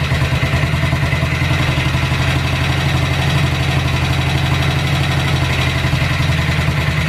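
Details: Cold-start idle on a BSA 441 single with an Amal carb cleaned after water and sediment in the float bowl caused sputtering and missing. A steady, even thump with no misses or hunting; idle and air-fuel mixture roughly dialed in, to be retuned once warm.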